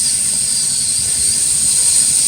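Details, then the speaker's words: Homemade stereo Bluetooth power amplifier, 150 W, 3 A transformer: preamp/tone control board with upgraded capacitors gives constant high-pitched hiss with no music underneath, same noise across three boards of different brands, so it was abandoned; audio hiss noise. "Saya coba itu noise, aku udah beli 2 kali teman-teman, 3 kali ya, 3 kali berbeda merek, ternyata sama suaranya juga noise ini."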